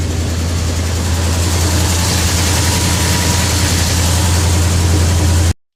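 Old six-volt truck engine idling with a steady low drone and even firing, no stumbling; runs fine.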